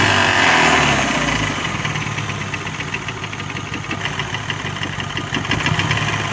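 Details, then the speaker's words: BMW 116i (F20, N13) idling warm with a steady regular knock about four a second, absent when cold and with no power loss; caused by a cracked crankshaft, since replaced with new bearings. "all right guys so you heard the knock it used to knock only when the engine's warm when it was cold it used to be fine"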